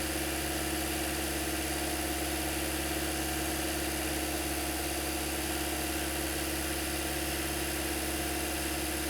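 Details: 2008-2013 Toyota Corolla after radiator and coolant connector replacement, warm at about 203-205°F with cooling fans running: smooth, even idle with a steady low hum and constant fan rush, no knocks or misses; normal idle.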